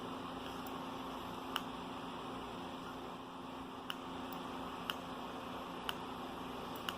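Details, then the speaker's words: Fire alarm strobe wired on a series circuit with another device: faint sharp clicks about once a second over a quiet hum, flashing at a slower rate because the other device takes up power. "You can probably see it now. And if you can't, you can probably hear it clicking. It's flashing."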